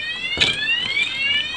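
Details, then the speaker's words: Motorcycle alarm being tested against an ignition forced with a T-key: a steady, high, piercing rising-and-falling siren that sounds until the unlock button is pressed. Meanwhile the starter is disabled. "Dibobol maling pakai kunci T, maka alarm akan berbunyi. Nah, akan berbunyi seperti ini sampai kita menekan tombol buka gembok untuk menonaktifkannya."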